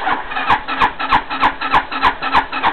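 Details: 260cc scooter with a newly installed carburetor, cold start: even starter strokes about three per second, raspy whir, never fires; cause unconfirmed, carb jetting uncertain.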